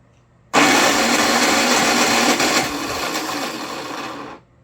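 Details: Predator 3500 W inverter generator, jumper pack as battery, on choke: harsh, steady starter whir about four seconds, never firing; no-start, carburetor suspected.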